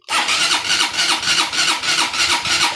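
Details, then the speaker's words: Honda CBR150 hard to start and noisy: long, laboured cranking at about three strokes a second that never catches; exhaust camshaft found very stiff to turn while intake spins freely, to be lapped with grinding compound. "Malakas ah. Malakas charger ah. Yon mga bro. Mandar na. Maingay mga bro. Maingay. Kita niyo yan. Napakaingay niya mga bro."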